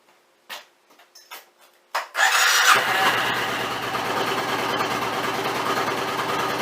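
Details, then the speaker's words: Suzuki Intruder 1400 V-twin cold start with choke on: a few clicks, then it catches and settles into a steady, even fast idle with no misses or knocks. Normal cold-start idle on choke. "With no choke. I better turn the choke on. But I think we're good."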